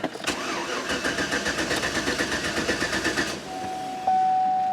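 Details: Vehicle tested right after the starter was reinstalled and a sensor near it was installed: the starter spins the engine evenly for about three seconds but it never catches, then a steady warning chime sounds. It cranks but won't start.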